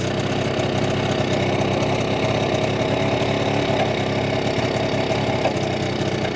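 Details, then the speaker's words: BSA D7 Bantam two-stroke under restoration, running during carburettor screw adjustment: uneven idle with stumbles and occasional pops, misfiring and backfiring; owner suspects slipped ignition timing and plans to check it under the timing cover. "I'm going to check the timing because I think what's happening is it's slipping slightly what do you think do you reckon the timing slip slightly for it to miss firing back firing like that"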